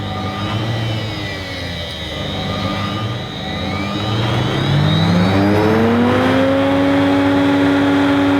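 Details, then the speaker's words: Electrolux 380 Turbomatic vacuum cleaner motor running unevenly: whine wanders slowly then climbs and holds higher, with a faint ticking; speed surging, not as smooth as it should be; owner plans contact cleaner, cause unconfirmed. "I thought it my idle varies very slowly I can hear it very just ticking ticking so that's not quite right as it"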